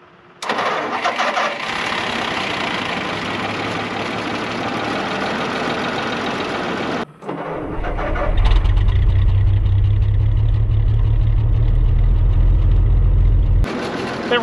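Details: WWII half-track first start attempt after fixing a flooding carburetor and feeding the choke cable: long cranking that never catches, then a dull steady drone; engine starved of fuel at the carburetor.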